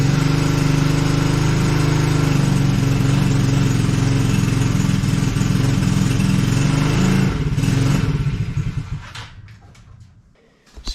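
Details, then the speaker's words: Coolster 110cc fully automatic quad that sat two years, running on partial choke after float overflow stopped leaking: lumpy uneven single-cylinder idle that falters and dies. "it runs okay this is a fully automatic quad so looks like the overflow is no no longer leaking so that's good"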